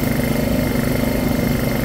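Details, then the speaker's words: Honda EU2000i generator with a surging problem, after basic maintenance: the small single runs fast and slightly uneven, and it won't stay running on anything but choke. Likely fuel starvation; carburetor teardown follows. "I got it running it still didn't want to stay running on anything but choke"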